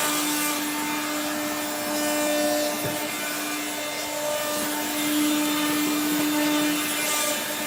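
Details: 1970s blue Regina Electrikbroom 3-speed vacuum vacuuming a floor: a steady motor hum with a rough, scraping grind throughout, from motor bearings gone dry after someone washed the motor and fan.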